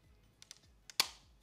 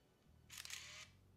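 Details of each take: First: Yashica 200-AF autofocus SLR (1980s, owner notes it is already broken) while loading film: a few light clicks then one sharp loud snap; film loading mechanism not cycling cleanly. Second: Yashica 200-AF autofocus SLR (1980s) firing: a single sharp, loud snap with a short whirring rush about half a second long; loud shutter release and mirror slap, normal for this camera.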